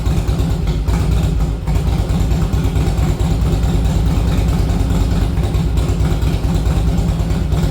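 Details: 1961 Harley Panhead after a ride: uneven chugging with stumbling firing pulses under a rumbly exhaust; owner first thought it lacked fuel, found to be rough running from an intake manifold air leak.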